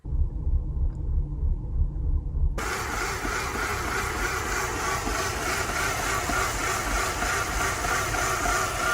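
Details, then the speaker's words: 2005 Mercedes CLK 320 at a stop with a rough idle shaking the whole car: lumpy, uneven low rumble that surges and sags. Shop diagnosed a malfunctioning EGR valve; replacing the valve and gasket made the idle smooth. "recently I've been noticing that it had a really rough idle when I was at a stop it be idling so rough that the whole entire car would be shaking"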